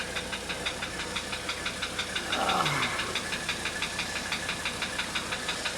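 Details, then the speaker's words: 1985 Mercedes 300D diesel idling on diesel purge after a valve adjustment and new glow plugs: a steady, sharp metallic knock about three times a second over the idle. Mechanical knock, cause not yet found. "Anyway, if somebody can help me out with this knot, kind of give me an idea what you think it might be."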